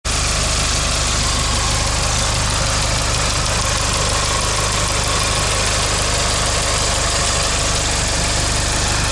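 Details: 1998 GST idling: light quick ticking over a steady hum; owner suspects lifter tick.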